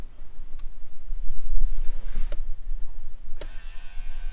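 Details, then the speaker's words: 1998 Subaru Impreza power mirror after a burnt wire/part was replaced with a good one: short electric motor whirs with small clicks as the switch is pressed. Mirror motor works normally. "can you hear that jesus did we just fix it [Music] yep it is working"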